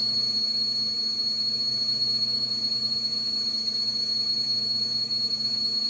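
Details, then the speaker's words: Lathe boring a brass blank, 11 mm boring bar in roughly 30 mm bore, 4 mm cut on diameter: piercing steady high whistle throughout the cut, boring bar chatter, before a neodymium magnet is applied to damp it. "Я думаю прекрасно слышно как он свистит теперь прикладываем магнит"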